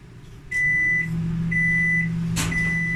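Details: Samsung AMW8113W microwave, after repair of a loud noise during operation, heating water for one minute. A steady low hum is followed by three evenly spaced end beeps; it is operating normally and the water comes out hot.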